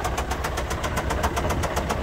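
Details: Citroen C4 Grand Picasso 1.6 HDi diesel, over 190,000 km: heavy regular metallic knock about seven times a second over rough idle; severe bottom-end bearing knock from oil starvation, engine died and was later replaced.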